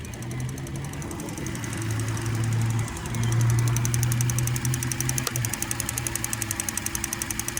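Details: 2008 Cadillac CTS with the LY7 3.6 engine at cold idle: a light, quick ticking of three or four a second over the engine hum, louder on the passenger side; the source is not pinned down.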